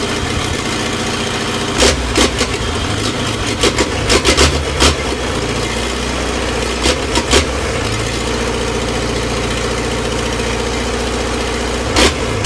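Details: Old Land Rover 2.25 diesel (3 main bearings), first real start in a decade: brief cranking, catches and settles into a steady, even idle clatter with no knocks or misses; normal start and idle.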